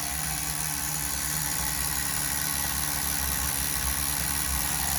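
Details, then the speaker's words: Tamiya TGS-R nitro RC engine, tank 2 of run-in, heat cycle 3, near empty, after leaning a hair and raising the idle: high, buzzy, even idle with no surging or stumbling. Normal idle; it stops with a hot pinch at TDC. "Listen to that idle. Listen to that idle, baby. You hear that idle?"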